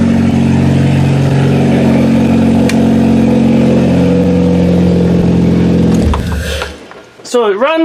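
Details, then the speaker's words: Kia demolition derby car ("Killer Kia"), gas tank from another car fitted, battery wired to a toggle switch: fuel pump heard, engine catches quickly and settles into a steady, even idle with a smooth low rumble, no knocks; normal idle. "You can hear the fuel pump. Fire's right up. Like a car."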